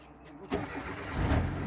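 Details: Mitsubishi Lancer after a no-crank, no-start issue; short starter whir, then the engine catches and settles into an even idle with no misfire or knock; starts cleanly.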